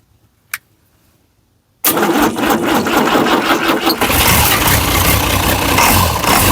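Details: International DT360 diesel, planned 1973 Ford F250 swap, after hand-priming air from fuel system: sharp crank catches quickly into loud busy diesel clatter settling to steady even idle; starts and runs fine.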